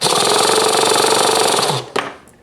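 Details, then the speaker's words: Rebuilt T-Maxx .15 nitro engine with its electric starter motor refitted, tested before going back in the chassis: fast, even, high-pitched starter buzz spinning the engine under two seconds, then a clean wind-down; it sounds healthy. "Sounds good to me."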